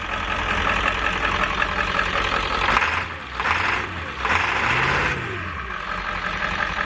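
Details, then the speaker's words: 7.3 diesel van after starter replacement and purging air via the fuel bowl: steady, even diesel clatter at idle with no misses or clicking. Normal diesel idle. "so I put the fuel bowl back on and then cranked it with no more it with no silicone or anything in the fire right up no problem well I once they fired right up but it fired and now it's running"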